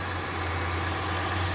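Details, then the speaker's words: 2003 Acura MDX idle about two months after replacing worn power steering O-ring: smooth low hum, no whine or groan from pump; still no leaks, steering system quiet and healthy. "I changed that O-ring, and still no leaks. It's good, and no noise from the power steering pump."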